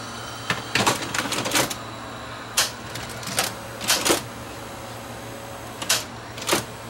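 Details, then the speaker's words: Sony VO5850 U-matic VCR after a video head drum swap: pressing eject unloads and removes the tape, then the empty mechanism clicks and clunks back into a half-loaded position and needs a power-off; owner suspects a faulty switch. "it just when it ejects it's it goes into like the half loaded position"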